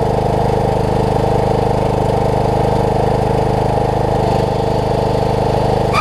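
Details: Craftsman LT3000 riding mower, maintained, filter changed, bought needing a deck and brake work: steady, even engine drone with a smooth low thrum and no knocks or misses; running healthy.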